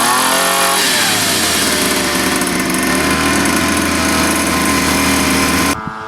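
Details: 47cc Chinese pocket bike two-stroke on oil-mixed gas, after cleaning the carb jet for a no-start: picks up and buzzes high and steady under throttle for about five seconds, then is shut off; normal running.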